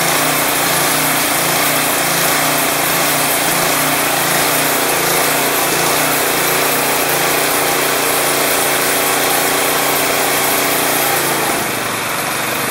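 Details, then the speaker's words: Craftsman 179cc 22-inch snowblower (Powermore engine, previously surging), idling off choke after Seafoam was added, smoky at first. Steady buzzing drone with only a very subtle irregularity, no hunting or surging; normal, smooth idle. "It has a little bit of a slight, I don't know if you guys can hear, it's very subtle. It actually idles pretty nice. Not too shabby."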